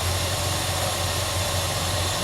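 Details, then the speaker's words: Dodge Monaco revving after new plugs, cap, rotor, leads and timing set; steady smooth pull with no bogging, previously felt laboured, advance now moving the distributor baseplate properly. "that when it revs up you know you said it felt labored before yeah they cut properly now"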